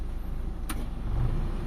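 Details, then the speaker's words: Mitsubishi Lancer with a 4G13 carbureted engine, after a carb fix for stalling in neutral and hard starting, idling with the AC on. The idle-up raises the revs and they hold steady with one click. Normal idle under AC load. "So tumaas na 'yung menor natin mga bossing. Ayan mga boss. So stable na 'yung idle natin mga boss. Dito tayo sa makina mga bossing. Ayan naka-aircon tayo diyan."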